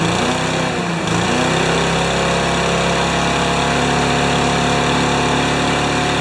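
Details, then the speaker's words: Slow, steady chugging idle from the small single-cylinder Powermore engine on a Remington mower, primer-started; it idles or runs a little slow, cause not pinned down (owner wonders whether the governor needs adjusting). "so it's idling or it's running a little slow so we'll tackle this one later"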